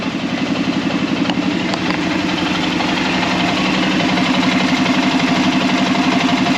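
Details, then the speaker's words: Arctic Cat Prowler engine just rebuilt with new pots (cylinders), first start after priming the carb: steady, even idle with a regular quick pulse, no knocks or misses, settling smoothly. "Alright, she's running. 1,000 gear. Seems to be working good."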